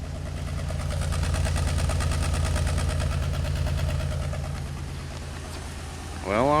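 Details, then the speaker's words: 2003 Pontiac Grand Am GT after upper-end rebuild: low uneven idle thump, about three beats a second, stumbling irregularly; still missing though the check engine light changed from flashing to steady; cause unknown. "so the light's on steady now it still sounds like it's missing but my light's not blinking now"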